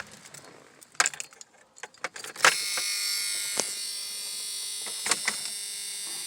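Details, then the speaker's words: 1994 Dodge Dakota, 3.9 V6 Magnum, 186,000 miles: the engine starts and idles with a thin metallic buzzing rattle from a loose exhaust heat shield. The owner also suspects a bad tensioner or idler pulley. "that's the heatshield rattling that's gonna tap like this ever top"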